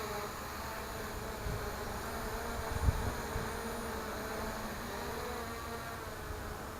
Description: My front left Sunnysky does not sound happy..